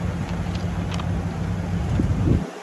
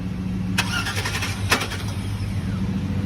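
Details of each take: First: 2004 Ford F-350 truck, started right up with jump box, idling after being moved backward and forward: deep steady even rumble with some wind on mic before shutting off; sounds really good, healthy idle. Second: 2003 GMC 2500 van (auction lot 29), reportedly running before, cranked with a jump box: starter grinds steadily with a couple of brief sputters but never catches. Crank, no start.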